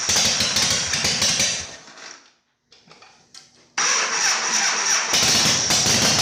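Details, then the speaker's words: Harley Shovelhead chopper V-twin after new battery, solenoid rewiring and ground fix, engine hot during carb adjustment; catches after brief pause, then uneven lumpy beat that stutters instead of settling; owner suspects it needs jetting: rough running. "does it sound like it's getting any better no maybe it just needs to be jetted i don't know it's just adjusted"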